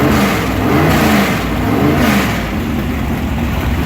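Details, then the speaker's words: Engine with mechanical fuel injection, cold start after priming fuel two or three times: loud, lumpy, fast, slightly uneven cold idle with a deep exhaust note, no knocks or rattles; healthy. "so but that just started the basically pushing fuel up into towards the engine I usually got to do this two maybe three times and then it'll run on it's cold"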